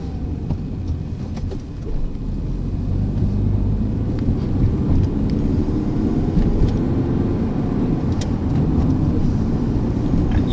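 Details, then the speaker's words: Manual-transmission car pulling away again in first gear: under road and wind noise the engine drones louder and louder, then holds an even, monotone pitch, the cue by ear to shift up. "can hear the engine start to get louder and louder, and once it kind of stays monotone at a certain sound, you can tell that you might need to shift."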